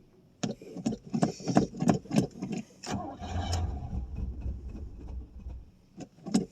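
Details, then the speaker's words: 1989 Pontiac Safari wagon, first cold start after 18 years off the road: ragged catches, brief sputtering run that fades and stalls, then more cranking; owner suspects stale gas, plugged carburetor main jets, or simply lacking fuel. "Or it just might be basically out of gas. Okay, it kind of kind of will run. Now I say that."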